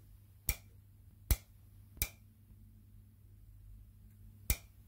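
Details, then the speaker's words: Barn-find Honda GX340 generator engine with homemade capacitor discharge ignition (originally no spark), plug tapped against ground with system powered: four sharp, crisp snaps at uneven intervals over faint hum, strong healthy spark. "so yeah you can see it's sparking you can hear it sparking so happy that i've still got a spark"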